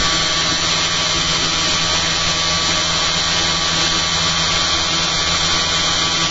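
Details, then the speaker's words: Steady hissy hum and low drone from a battery-powered rotor just fitted with new eccentric magnet and bobbin holders, drawing more current than before (280 mA into a 6-volt load); magnets in the bobbin holders were found vibrating, not set properly. "Something's vibrating. It's this one. No, it's not that one. It must be the magnets in the bobbin holder aren't set properly."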